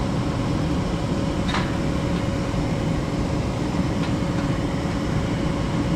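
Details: Furnace after installation restarting its heat cycle once the limit switch signals the board, with the inducer motor just on and the flame judged by ear. An even, steady roar with a faint constant hum and no rumble, popping or flutter: normal burner operation.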